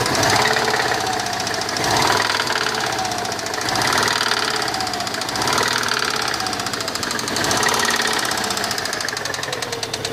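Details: Running 1999 Subaru Legacy GT-B engine with heavy, fast metallic knocking at about four per second: big-end con-rod bearing failure from prolonged detonation/pinging, possibly from a faulty knock sensor or a bad tune by a previous owner.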